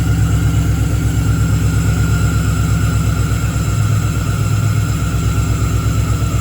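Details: Engine-swapped Camaro with a 6.0 V8 at its first start after the swap, with the tune still being sorted: a lumpy, uneven low rumble at idle with an irregular beat, popping and banging. Misfire.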